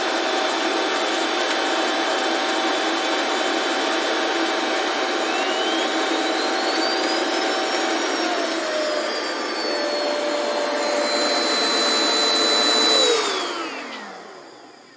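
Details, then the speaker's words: Shark Wandvac Self Empty WS642AE with debris-filled bin, emptying started by button: steady suction roar, whistle climbing then holding high, dropping away at the end; healthy self-empty, bin fully emptied. "So when I click this button, it will start self-emptying. You'll hear maybe 3 or 4 beeps and it'll start emptying."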